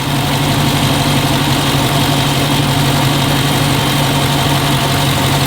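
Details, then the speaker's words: Dodge Charger Scat Pack V8 at idle, recorded with a microphone near the engine to check for a suspected Hemi tick. Smooth, even, steady low rumble with no ticking or tapping; the engine sounds healthy. "yeah I don't think it I don't think it's ticking well you tell me no I think we're"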